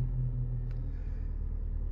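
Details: Suzuki Sport petrol engine started after programming a new proximity key: deep, steady low rumble idling normally with no knocks or misses.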